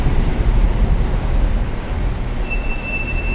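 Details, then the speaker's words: Mercedes C63 AMG creeping to a stop at low speed, before its winter-grimed brakes were cleaned: a thin, steady high squeal over low road rumble; brake squeal suspected to come from dust, salt and grime. "that squeal that's the worst thing in the world that sounds when you're driving slowly oh you guys hear that that sound is the worst sound in the world when you're underground or even just coming to a complete stop at a stoplight"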